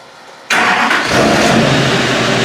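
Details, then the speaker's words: 2007 LMM Duramax diesel starting right after Airdog Raptor 4G lift pump install and fuel prime: brief crank, fires instantly and settles into a strong, even run; healthy clean start. "obviously she caught right up uh and at this point only thing we have left to do is to go ahead and test drive it"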